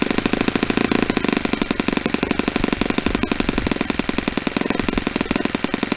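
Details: Saito 50 four-stroke on its first run after a rebuild (new ring, new bearings), warm, APC 11x7 prop, Omega 10% fuel. A high, fast, even buzz at steady revs near the top; the needle is leaned close to peak RPM and the exhaust smoke is reduced.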